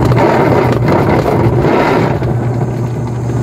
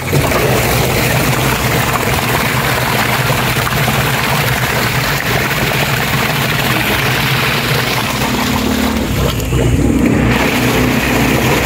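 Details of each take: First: Kapag ganito ang issue ng inyong washing maingay malamang gearbox yan. Ayan pag ganyan gear box yan. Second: Washing machine agitating normally after a new gearbox replaced the old noisy one, with water added. Steady churning and sloshing over an even motor hum, with no grinding or knocking.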